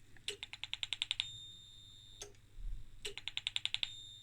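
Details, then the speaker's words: Danbridge JP12A 12kV insulation tester (possibly 1985), at higher voltage: rapid bursts of sharp crackling ticks, about ten per burst, every few seconds; high voltage arcing over inside at a melted resistor, suspected arc-over in diodes or capacitors. "no that's definitely a problem with the high voltage sparking over somewhere"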